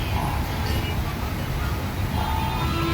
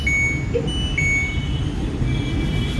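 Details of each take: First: LG top-load washing machine with direct-drive magnetic motor, after board repair of LE error: low steady drive hum with faint traffic behind, no grinding or knocking; motor now runs normally. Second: LG top-load washing machine with direct-drive magnetic motor, board brought in for repair: two short high beeps about a second apart over room hum, flagging LE motor-lock error after door lock and countdown.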